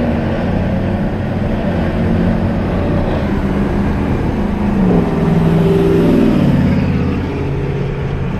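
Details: 2000 Dodge Ram 1500 after replacing the whole differential, pinion and bearings for a worn-gear hum: truck drives with a smooth engine and road rumble, no whine or hum from the rear; noise eliminated.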